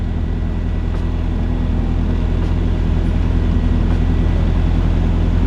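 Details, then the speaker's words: Car with P75 engine running a little rough at idle after work on wiring harness and a prior spark plug issue; lumpy, uneven beat with occasional stumbles; rough idle. "let's see let's see if it starts thankfully woo it is a little rough"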